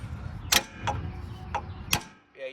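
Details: Passenger-side front IFS suspension during lower control arm replacement: sharp, dry creaks in four separate bursts as the front end is worked; owner thinks it needs lubrication, cause not confirmed.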